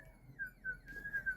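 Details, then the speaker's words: Xenon plasma toroid driver at about 15 MHz, running around 20 V: a thin, steady whistle near 1.6 kHz wavering slightly in pitch. Suspected to be the gate being overdriven by incorrect gate bias. "my first impression of really what that is is that's that's that gate being overdriven um so that's why it actually makes that noise"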